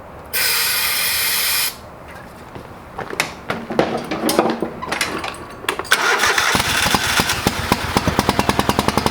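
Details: Old lawn mower being revived, first start after carburetor rebuilt, with the bowl needing to fill with fuel: long cranking with scattered sputters, then catches and settles into quick even firing; fired, but not right up, so slow to start.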